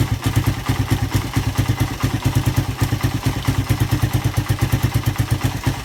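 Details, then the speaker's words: Suzuki Satria FU single after repair of compression loss caused by a badly leaking valve, with a new piston: a steady, even thump of about ten beats a second with no misses, ticks or clatter; a clean, healthy idle. "Hai piston baru ya Tapi udah Kak berasap Kalau juga dia berasap halus banget suaranya ya"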